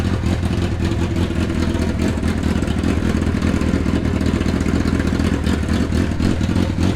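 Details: Long-neglected Hayabusa engine, first run after new injectors, held on choke: a strong, steady low exhaust pulse with a busy four-cylinder rumble, running evenly and holding revs, sounding healthy; the FI light is now out.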